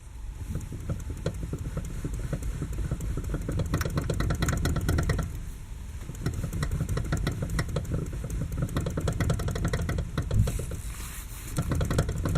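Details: Lada Kalina, 6 years old, steering wheel rocked quickly back and forth: bursts of dull clunks and clatter; owner says the loudest, clearest knock is the electric power steering unit, the rest the rack; U-joints have slight play, don't rattle.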